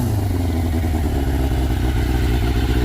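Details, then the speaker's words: 1996 Yamaha FZR600, owned 7-8 years, after being backed into and cracking its fairings: steady even low idle burble with no knocks or ticks; no leaks, running smoothly and healthy. "sounds pretty good and everything's working I'm excited I'm very happy poor girl"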